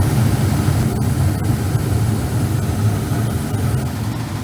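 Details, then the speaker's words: Carrier gas furnace in a small commercial building, after blower motor replacement on a no-heat call: burner lit and blower running with a steady, even low roar, no squeal or rattle; furnace running normally, repaired. "It should be dropping the fan and picking up the induced draft any second now."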